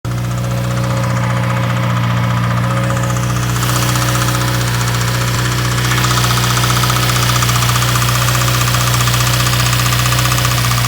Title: Subaru Wrx 2015 Rod Knock 49k miles